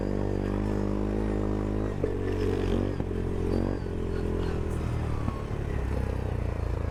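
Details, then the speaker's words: Goes 400 ATV at full throttle in mud and snow: pulls hard then cuts abruptly several times in seconds, electronic rev limiter chopping ignition. "A, chiar că se limitează lui. Ați auzit rateurile, nu?"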